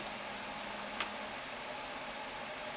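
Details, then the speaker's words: HP LaserJet Pro printer with a refilled original CF218A cartridge, printing a demo test page with no background or smearing: steady, even hiss, soft hum and one light click, with no grinding or squeal. Normal printing. "Ну вот все. То есть, ну, печатает он отлично. На камере тут тоже, наверное, видно, что ни фона, ничего нету."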